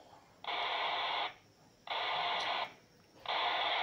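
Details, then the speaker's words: RigExpert AA-230 Zoom BLE SWR2AIR feature heard on a handheld tuned to 145.150 MHz: three even tone bursts repeating about every 1.4 s over radio hiss; pitch indicates high SWR, about 4.1:1, rising as SWR nears 1. "you can hear the burst of audio code that is being sent by the r expert the frequency of this audio code is dependent on the S SWR"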